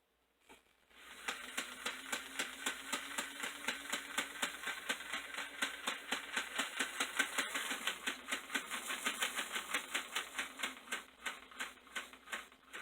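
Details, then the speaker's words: Toy 460 Camelback locomotive bought on eBay, after repair, motor loosened as possibly too tight against the gears, running with the shell off: an even small-motor whir with a light, steady tick about four times a second, no stalling. Runs, moving sluggishly without the shell's weight. "Alright, it's not moving too well because it doesn't have the weight of the shell on the engine, and like I said, this one was the heaviest out of all of them when I did the initial testing. But it is running."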